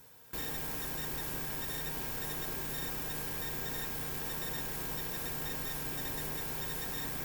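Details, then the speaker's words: Bakon BK601S Pro soldering station (245-tip iron) chirps even at idle, clearly while the heating element is energized: steady high electronic chirp with thin whistling tones over a quiet hiss, heater PWM drive coil whine. "Number one, the iron is making this weird chirping noise uh even when it's idle. Uh it's definitely doing it when the heating element is being energized."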